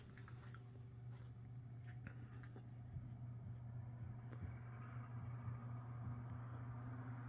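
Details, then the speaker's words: Lasko 3150A 12-inch oscillating table fan, circa 1980-81: running on low, a soft steady hum with even drone and faint airflow hiss, no knocking or rattle; quiet and healthy, though fiber washers are worn. "low that you would expect from these Lasco oscillators from this time period very quiet low throwing out a pretty good Breeze"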